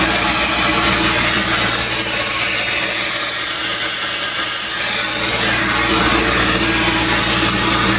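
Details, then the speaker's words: 7.3 diesel swapped in for a 6.9 IDI in a 1989 International S1600 truck, cold start, exhaust hooked up, running diesel mixed with ATF: steady rough idle with harsh choked exhaust rush; exhaust back pressure valve closed for warm-up. "That noise you hear is the exhaust back pressure valve doing its job, trying to help the engine warm up."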